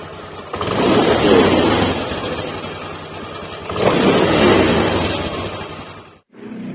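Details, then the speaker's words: 2020 Honda Beat Deluxe scooter, warm, before ECU remap: engine surges then sags, idle fading almost to a stall before restarting, and it cannot hold idle. Owner says it also stalls by itself on the road and is worse in the morning. "Apa langsam udah engak bisa digedein lagi nih turun aja terus apalagi pagi hari kalau ini kan baru datang nih masih panas tapi ini berebet Langsa mengecil terus tuh"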